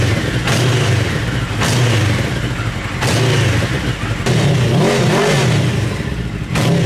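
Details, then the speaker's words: Mini trophy truck project with a four-wheel-drive, motorcycle-style engine, muffler baffle removed; a rough, throaty note rises and falls with throttle blips. It runs normally, only slightly louder and more open without the baffle. "it's actually not that much of a difference I it's a little bit louder but I think it sounds better"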